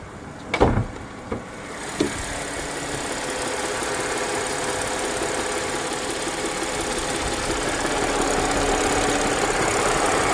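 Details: 2015 Audi A8 idling warm, with a steady hum and a faint, fairly regular knock roughly three to four a second. It knocks only when the engine is warm; the cause is unknown.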